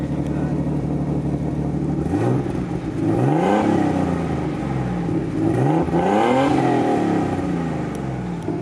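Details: Nissan R33 Skyline with freshly rebuilt turbocharged RB30 six (RB25 VCT head, RB26 cams, EFR 8374 turbo, Link G4+ ECU); smooth steady idle then clean free revs rising and falling evenly without misses or stumbles, healthy.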